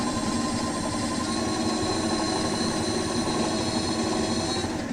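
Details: DIY dual 350 W hub motor electric scooter, rear hub motor spinning with the wheel-size parameter set to 24.4 while the front motor stays idle: a constant high whine over an even buzz at steady speed, no grinding or knocking.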